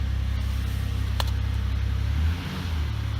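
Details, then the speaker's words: 2004 Chevy Impala, first start right after replacing the failed fuel pump, which had worked only intermittently in cold weather: the engine fires right up and holds a steady low idle with a brief dip and recovery, no stumbling or misfire. "listen for the pump to come on she heard a couple more times let's try it oh she fired right up"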